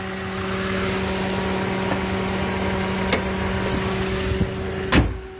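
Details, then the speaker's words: 2014 Toyota Avanza G 1.3 petrol with manual gearbox, 146,040 km over nine years: steady, smooth, quiet hum with even tones and no knocks or ticks, described as sounding like a fan; normal idle. "Untuk mesinnya masih sangat anteng. Ini mesinnya nyala ya, dan suaranya itu kayak suara kipas angin, gitu aja, masih enak."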